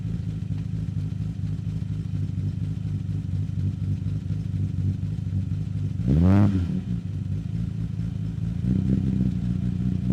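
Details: 1963 Austin Healey 3000 BJ7 Mk II fast road spec, cold start running full rich, microphone at the tailpipe: steady low burbling at fast choke idle, one brief rev blip, even firing; healthy warm-up.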